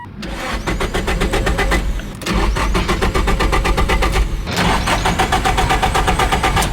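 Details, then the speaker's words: An abandoned Nissan S15 Silvia with an SR20, jump-started from a pack after a dead battery, cranks at about four beats a second in three bursts without firing. Coil packs were checked as good; the cause is still unconfirmed. "cranking but it isn't starting math is good coil packs are good"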